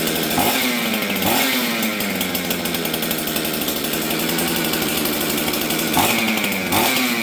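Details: 266XP chainsaw from auction, first start after new ignition and jet adjustment; raspy idle with sharp throttle blips, thin response, low-speed jet slightly lean, to be richened.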